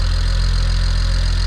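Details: BMW 335xi N54 twin-turbo six just after first start following a Pure 600 turbo, VRSF inlet/outlet, catch can and full exhaust install, no leaks, burning off residue smoke: a deep, even idle rumble with a steady beat and no misses, knocks or rattles. Normal.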